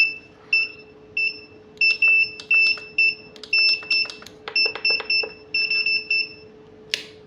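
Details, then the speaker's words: Godox SK-series (SK300/SK400II) studio flash, switched on and button pressed: repeated high double-tone beeps in short, unevenly spaced bursts with a blinking red light, the E3 error alarm; title suggests careless flash-tube replacement, fault unconfirmed. "Ya, E3 dan ini lampu merah ini ya, blinking, yang blink ya."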